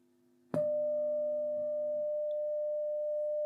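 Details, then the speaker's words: Telefunken Gavotte 55 tube radio after recapping, with the signal muted: a steady mains hum comes and goes with the tube. It is traced to the tube socket, which needs more cleaning. "there's the hum there it's gone so our tube socket needs a bit more cleaning"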